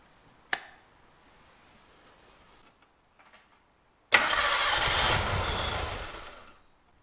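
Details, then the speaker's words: Gilbern Invader Mk3 barn find with fuel line fitted: a couple of seconds of steady starter cranking with no firing; no fuel is arriving, and the ignition is also suspected. Cranks, no start, no fuel delivery. "let's see if we're getting fueled up now no we're not we don't seem to be getting it yeah just turn it over"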